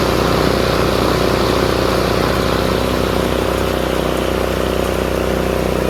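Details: Craftsman RER1000 riding mower after shortening a spring to fix high revving: steady, even engine drone with blades spinning, no slipping, knocking or surging; normal running with blades engaged.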